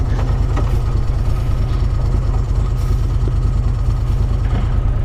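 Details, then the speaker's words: Moto Guzzi Quota at idle: deep, steady thump with an even, loose rattle riding on it, the normal chatter of its dry clutch, nothing to worry about. "that is a clutch and it sounds like it is a moto Guzzi might even run a dry clutch"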